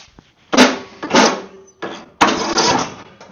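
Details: Mower with a charged battery, choke on and brake set: several short, heavy cranking bursts that drag and never catch; no start.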